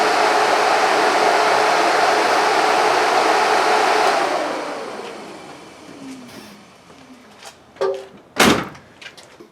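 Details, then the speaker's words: 1968 Mustang after replacing vibrating Alloyworks electric fans on an aluminum radiator with new ones: even airy whoosh with no rattle or shake, then a smooth wind-down; the new fans run cleanly. "I'm going to turn them on we'll see how it sounds that's nice that's nice virtually no vibration I can hear the wind blowing through them"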